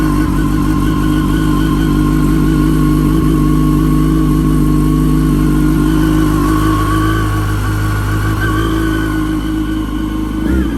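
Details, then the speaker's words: Wrecked 2006 Yamaha R1, just started after about 57 tries: fast steady run with a thin supercharger-like whine on top; owner unsure if clutch, source unconfirmed. "So I'm gonna try to fix that, see if the clutch works, because it's making a weird sound. It sounds good, but it's got like a whine to it."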